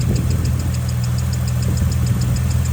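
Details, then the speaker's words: Ecotec skid car engine, once seized, after the misfire was fixed by reseating an injector connector: light, quick, even ticking or squeaking over a steady low idle; valvetrain noise, owner suspects a loose rocker, unconfirmed. "I hope that goes bit of a squeaky noise I don't [Music] know might possibly be a loose rocker don't like the sounds of that though we'll see"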